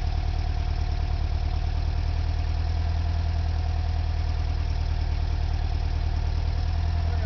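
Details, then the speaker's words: 1976 Volkswagen camper bus air-cooled engine, rebuilt around 2006 with under 12,000 miles since, warm; steady even low thrum with regular beat, no knocks or misses; healthy normal idle. "sounds are wonderful it is so great to hear that bus run"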